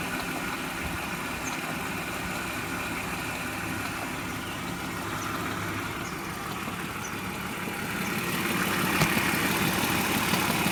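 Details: 1999 BMW E46 323i, M52B25TU petrol engine, idling: a light, fairly regular rattling tick about three per second that grows as revs rise, origin unknown. Oil, hydraulic lifters, VANOS unit with seals and anti-rattle kit, plugs, coils, left and upper chain tensioners already replaced.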